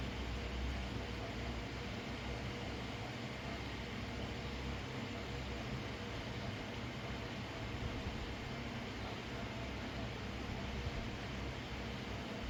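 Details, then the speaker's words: GTX 1050 Ti 4GB graphics card after repair, running a benchmark with the fan at maximum: steady, even airflow hiss with no ticking or wobble; normal fan running. "इसको जो है एक बार फिर से benchmark on करते हैं और fan की स्पीड जो है मैक्सिमम कर देते हैं। ठीक है, फ़ैन भी ठीक घूम रहा है।"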